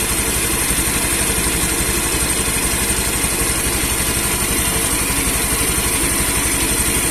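Steady, even single-cylinder idle putting along at a constant beat with no cutting out or stumbling; running normally.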